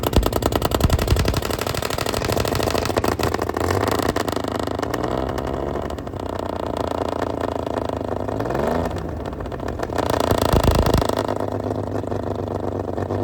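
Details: Fully restored 1935 Stancraft inboard, the oldest known surviving Stancraft, in raw unedited footage; loud, steady multi-cylinder roar with even firing, swelling as revs rise and fall. Normal, healthy running.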